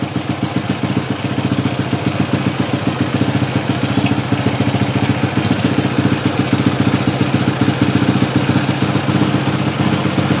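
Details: Honda Supra Fit motorcycle after carburetor repair, during air-screw adjustment: steady, even single-cylinder putter at idle, about three to four beats a second, no misses or stumbles; normal idle.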